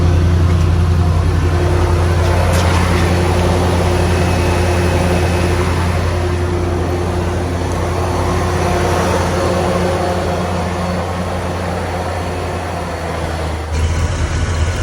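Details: 1990 Ford F250 351W V8 at idle, burning smoke: a low rumbling with an uneven puffing edge. An exhaust leak is suspected.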